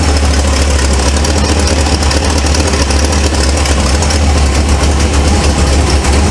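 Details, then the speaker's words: 1948 Ford F1 custom panel truck, engine fairly cold at idle: rough, raspy puffing over a deep rumble; exhaust manifold leak, manifold to be replaced. "That's moving y'all out. But you can hear that exhaust leak."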